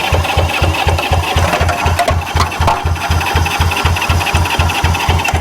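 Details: Long-stored Honda CB77 Superhawk 305 twin, primed with fuel: steady starter cranking at about four turns a second, no firing or catch; spark confirmed on one plug.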